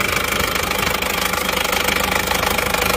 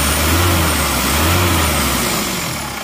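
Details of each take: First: Isuzu Panther LS automatic diesel, 4th engine failure in 7 months, morning run. RPM raised to stop it stalling, oil filler cap opened, smoke already showing. Harsh steady knock about 2.5 per second with heavy breathing. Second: Isuzu Panther LS automatic diesel, after fourth engine overhaul in 7 months, started after replacing aftermarket 13 mm racing rotor head with correct one: even, steady smooth idle, no roughness, vibration much reduced versus the 13 mm racing part; normal idle.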